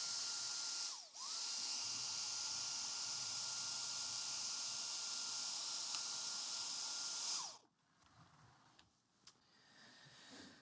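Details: Dyson stick vacuum (V7, possibly DC35 Digital Slim) on the bench, checking for loose connections where the wand plugs into the power nozzle and main unit: steady high whine dips out, recovers, then cuts off as power to the brush roll nozzle intermittently drops.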